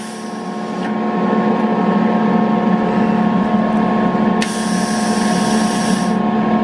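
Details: Eastwood MIG 175 welder on 220 V: steady hum, gas hissing in bursts and a relay clicking, but the wire does not feed.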